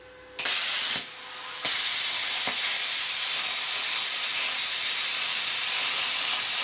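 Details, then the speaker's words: New plasma cutter showing 55 amps, now run directly on 240 V instead of 110 V that caused sputtering: air hiss starts then smooth unbroken cutting hiss, no sputter or dropouts; cutting cleanly. "just to be sure no problem whatsoever so there you go guys"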